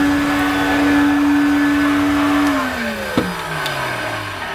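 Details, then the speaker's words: Electrolux 502 vacuum cleaner donor machine on max setting: steady high motor whine that sounds rough, then winds down as it switches off; abnormal motor noise, owner thinks a motor swap may be needed. "no that's not very good that is not what it should sound like at all i'm sure my other one sounds better than this so it could be a motor swap needed"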